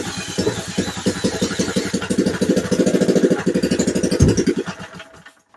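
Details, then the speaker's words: Vintage 1950s-60s Briggs & Stratton, sat 10+ years, primed: uneven firing pulses about three a second, surging then dying; owner suspects spark jumping from the plug lead's metal sleeve, also priming trouble. "Okay, it's starting to choke off. It seems to be cooperating. I think that's what it was. I think the spark's been jumping around here."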